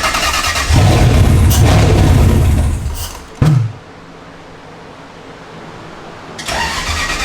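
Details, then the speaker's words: Toyota 3UZ V8 swapped into a Nissan 240SX, after a new ECU tune with changed trigger settings: catches quickly and revs a couple of seconds, drops out, then fires again; runs but needs about 15% throttle to idle, drive-by-wire likely unset. "so we changed the trigger settings and now it starts and runs"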